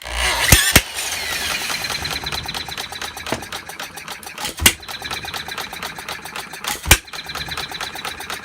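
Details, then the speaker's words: 1/2-scale Paul Breisch Olds hit-and-miss gas model engine, freshly restored, on 6 V coil, run slow with no cooling water: occasional sharp firing pops every couple of seconds with light clicking valve gear; fires on every fuel draw, sometimes draws twice; normal. "Just on one draw, it fires every time it draws in fuel. Sometimes it might draw in twice, but even when it draws in twice, it fires every single time."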